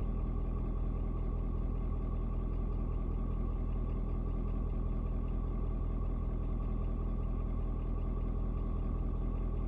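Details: Ford Super Duty 6.7 diesel (Platinum), 56-degree cold start: steady deep clatter at about 2.5 beats a second, even after a slight rpm drop (owner unsure if block heater turned off); normal warm-up idle.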